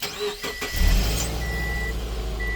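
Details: Subaru with charged battery, in park, during no-start diagnosis (starter, brake switch, neutral safety switch suspected): short burst of starter cranking quickly catches and settles into a steady, even idle. Normal crank and start.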